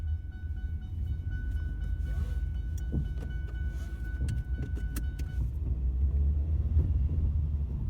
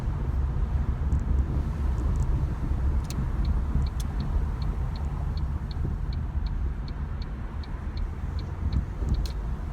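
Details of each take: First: Ford Mondeo driving on road, camera on back seat: deep rumbling knocks thud through the rear floor as all four split rear subframe bushes let the subframe knock against the body, worsening over about three years. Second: Ford Mondeo driving after replacing all four split rear subframe bushes: steady low road rumble with no knocks or clunks from the rear; the knocking has gone.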